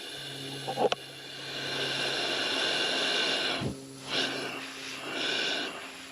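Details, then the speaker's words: V8 engine with low compression on cylinder 8, leakdown test at 6 bar: a strong, steady hiss of air from the crankcase breather that rises and dips with handling. Leakage is high, probably a collapsed piston ring or cracked piston or cylinder. "So this is a breather in the engine, so what we have in this case, it is most probably a collapsed ring or cracked cylinder. Cracked piston. So you'll see the leakage is high."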